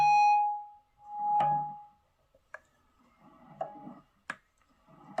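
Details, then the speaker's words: Electric guitar through amp after spraying electrical contact cleaner into the dirty volume pot and output jack: clean notes and strums, no crackle or scratchy dropouts — crackling is gone. "There we have it. Crackling is gone."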